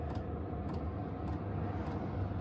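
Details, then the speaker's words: Silvel 5 kW diesel heater running from a power station on its lowest setting: faint fuel pump clicks about every half second under a low steady hum; normal running. "so now it's on the lowest setting you can hear"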